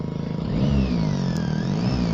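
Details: Car stereo whistles and gives interference once an "Ultrafocus" button on the amplifier is pressed; it is silent with the button off and wiring was not at fault. Thin whistle rising and falling with engine revs: alternator whine in car audio.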